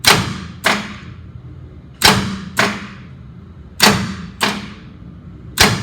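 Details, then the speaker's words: Portable fire pump engine, gauge showing 37 hours, on manual crank: heavy single clunks, mostly in pairs, with no cranking rhythm; starter kicks but engine won't turn, owner suspects seized motor from water in rusty pipe. "again it kicks hard starter is right there and it's kicking if you look here this is not turning"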